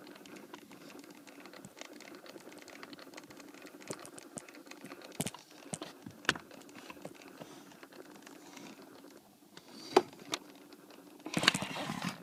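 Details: 2008 Toyota Sienna, faint uneven light clicks from the dash, roughly forty a minute, over a quiet cabin; HVAC dash clicking, suspected actuator problem, not confirmed.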